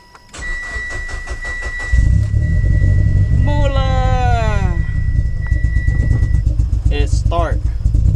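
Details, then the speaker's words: 2011 Mitsubishi Evolution with rodent-damaged wiring: brief crank then catches into a steady, even idle with deep exhaust note and no misses after repairing the chewed crank sensor wiring, which had caused no spark and no start. "so now the engine is running and you can hear the exhaust from the evolution after fixing the crank sensor"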